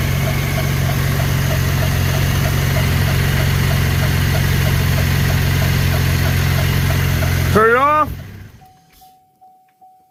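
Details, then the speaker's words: 2012 Chevy Impala police edition, 3.6L V6, after serpentine belt and tensioner pulley replacement: steady even idle with smooth low hum, no knocks, squeals or chirps until switched off; healthy. "I'm just making sure everything's running."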